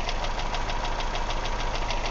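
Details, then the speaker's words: 1999 Ford Escort ZX2, 2.0L twin-cam Zetec, oil filler cap removed at idle: steady hiss of crankcase pressure over a lumpy idle with pronounced miss; heavy blow-by, cylinder two 25 psi compression, lower-end failure suspected. "hissing as I put the cap back on. It's trying to fight the cap."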